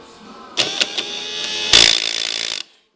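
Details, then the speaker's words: Power window motor removed from a 1979 Hurst Olds (GM A/G-body), powered on the bench: spins briefly, then harsh gritty grinding; internal gears stripped, motor to be replaced with a new one that runs smooth. "this is what a bad motor sounds like you can see if I can show the gears there you go Gear's grinding"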